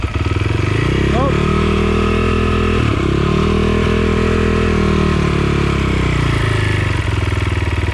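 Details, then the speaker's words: 2020 SSR SR300 dirt bike with new Lectron carburettor, first start after reconnecting the coil lead: steady, slightly lumpy single-cylinder idle running a little rich because the choke was left on. "choke was on explaining why it was a little rich man that sounds good"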